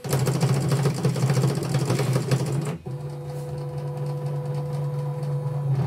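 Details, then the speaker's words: Portable embroidery machine: the carriage keeps running on by itself with a steady motor hum and does not respond, and there is no connection at all. Mainboard replacement is approved; it is unclear whether only the mainboard or the LCD too is at fault. "Jadi mesinnya ini lari terus gitu."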